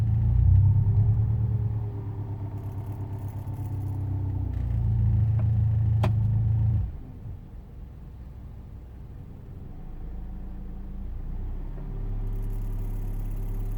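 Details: Proton Inspira on a cold start: the engine catches and runs unevenly with a low knocking/misfire-like thumping before it settles; fine once warmed up. Cause not confirmed.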